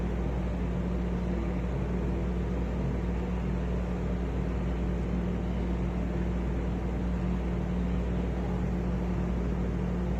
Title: (Bad bearings) Arlec style 3 exhaust fan